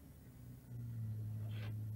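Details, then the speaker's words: JVC Victor XU-D400 Mk II MD deck spindle motor, previously dead, revived and running on bench power supply at 4 volts after reassembly: soft steady low hum holding stable speed; motor turning smoothly and quietly, normal running. "I'm at 4 volts and it's holding a stable speed good happy this makes me"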